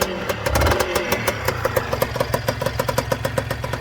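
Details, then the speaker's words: Honda NSR 125 two-stroke, cold on choke after battery recharge, wouldn't start without choke: uneven popping idle about five or six pulses a second, stumbling but staying lit; owner thinks it needs warming up. "Honda działa odpaliła pierdzi buczy ale nie gaśnie póki co jest na ssaniu bo nie chciała odpalić bez niego"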